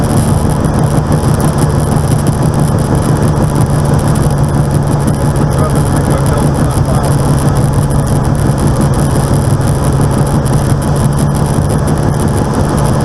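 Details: Aircraft N735D after a spider replacement, recorded in flight on approach and over the runway. A steady, heavy low drone with a rough, uneven beat at idle. The engine noise is abnormal and the source is unknown.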